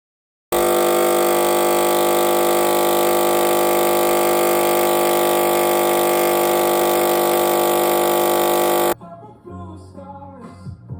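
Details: Sage Barista Express espresso machine with a constant loud steady electrical buzz continuing after start-up and after making coffee; caused by faulty PCB (control board) and solenoid, both repaired.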